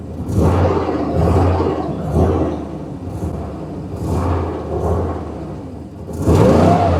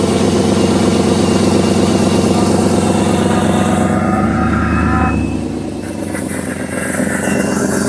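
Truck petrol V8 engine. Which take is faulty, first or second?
first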